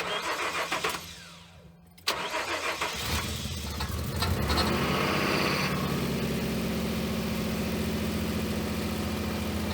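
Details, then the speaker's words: 2007 Nissan Frontier after fuel pump replacement, half tank of gas: starter cranks briefly, engine catches cleanly and settles into a smooth, steady, quiet idle with no stumble or miss; no leaks, normal start and idle. "showing half tank gas fired up good check for leaks everything's nice and dry"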